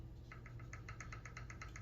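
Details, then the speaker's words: RC car after replacing worn parts, motor remounted bottom bolt first then top to set pinion-spur mesh: light even ticking seven or eight per second over low hum, slight click judged just right; normal gear mesh. "See, I got a little bit clicking. Just the right amount."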